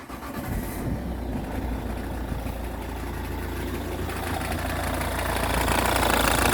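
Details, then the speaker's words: Ford Kuga Mk1 AWD 2.0 TDCi diesel (replacement engine), start and idle: extra light rattling clatter over usual tick, disappears with a little rev; cured by fitting a new auxiliary drive belt. "we go you can hear that extra clattering you might be hearing better over here but when you give it a little rev it disappears"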